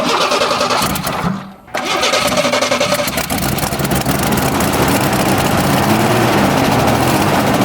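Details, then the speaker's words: 1988 Ford Ranger: engine catches and runs, cuts out abruptly near a second and a half, then refires and runs unevenly; stalls after start-up, owner suspects a sensor is leaning out or richening the mixture too much. "just died on its own yeah yeah I didn't I didn't turn that off just straight up died so it started it sounded really nice when it was running there for a second and then it was like and it died"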